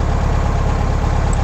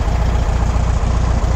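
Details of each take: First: Air-cooled VW Beetle with Solex 30/31 PICT carburettor during tune-up: low chuffing idle with slightly uneven beats, faltering as the volume control screw is adjusted too lean. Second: Air-cooled VW Beetle with Solex 30/31 PICT carburettor, idle after adjusting volume control screw during tune-up: steady, even low putter, smoother, no misses or stumbles.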